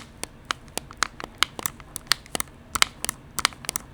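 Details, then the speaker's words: Finalmouse ULX Frostlord honeycomb gaming mouse: sharp M1 clicks in quick uneven bursts, each followed by a dry crinkly crackle as the shell creaks under button pressure. Pressing mid-paddle also depresses M3. Lightened shell suspected of lacking rigidity, unconfirmed. "You remove so much material and you affect the rigidity of the mouse, right? So you can only go so far."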